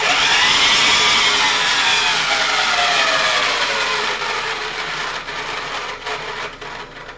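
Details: Vintage all-aluminium Powr-Kraft 8542A modular router before rebuild: harsh, rough high whine that wavers as the motor spins down, from badly worn bearings; switch trashed and brushes worn.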